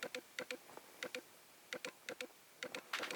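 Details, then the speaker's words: Sony A7S with Canon-to-Sony autofocus adapter on Canon lens: quiet paired ticking bursts, focus motor hunting and never locking; autofocus hunting clicking. "are using will trucks Canon to Sony auto focus adapter and you can hear what it does it just can't focus anyway"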